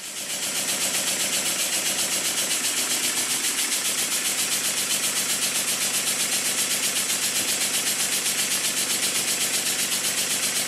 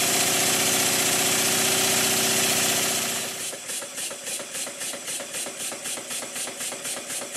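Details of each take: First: Model steam engine made circa 1896, rebuilt, run on air placed on cardboard: soft even chuffing near four beats a second, no clatter; valve timing perfect, early air admission cushioning reciprocating masses, despite a too-thin crank pin. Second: Rebuilt circa-1896 model steam engine on air, running down after being run fast and loaded by finger on the flywheel: hiss then about four sharp knocks a second as it slows; too-thin crank pin knocking, getting worse.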